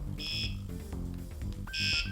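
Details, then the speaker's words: Wsdcam bike alarm, muffled with tape: loud warbling two-tone chirps cycling loudest, medium, soft volume levels during volume setup. "now we can use the bell at the bottom and you'll hear the different volume levels"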